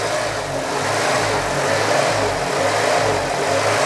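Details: 2000 Nissan Micra K11 Sport, about 85,000 miles, restarted after 10 years in storage with fresh fuel: idle rises and falls about once a second instead of holding steady; seized idle air control valve diagnosed, throttle body replacement needed.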